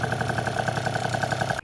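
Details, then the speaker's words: 70cc Polini Corsa two-stroke on a Vento Triton R4, rebuilt after six months broken down, second heat cycle at idle, about 123 degrees and warming toward 150. Crisp, even popping with a healthy amount of smoke, no hesitation or hiccups: normal idle. "see if it sounds good there's a healthy amount of smoke coming out from idle no hesitation no hiccups it's going good"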